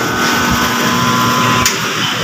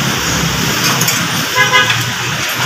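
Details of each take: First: Mitsubishi L300 Euro 4 alternator on the test bench after the bearings were replaced: steady hum and clean whine with no grinding or scraping, bearings now quiet and healthy. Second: Mitsubishi L300 Euro 4 alternator, removed and spun on a test bench after owner complained of noise: loud steady scraping rasp with a thin high whine, a worn bearing.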